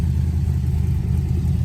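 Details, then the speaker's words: LS-swapped Camaro V8 idling for a while after a first-drive problem was fixed, before fitting new exhaust; steady even idle, deep low rumble, no popping or misses: normal idle. "Alright, this thing's been sitting here running for a while. Everything seems alright."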